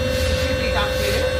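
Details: Ampere Nexus XT electric scooter after a no-start repair, run through its riding modes at roughly 2200–3100 rpm: steady, even mid-pitched hum with a low drone and no grinding or knocking; the hub motor sounds healthy.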